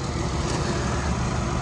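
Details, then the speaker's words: 3.6 L V6 salvage truck at Copart, airbag light only, no check engine or ABS lights: steady, even low idle rumble with no knocks or misses, outdoors; sounds really good. "nice little truck for sure sounds very healthy V6 but 3.6 L it's not bad good on gas"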